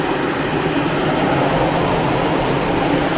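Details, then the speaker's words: Newly installed extra external condenser fan on a Perodua Alza, wired with relay, fuse and socket, switched on by button with ignition on: even constant airy whoosh, no rubbing, ticking or wobble, running normally. "So kita on kunci. Ok, lepas tu kita tekan button. So kipas tu dia akan pusing lah."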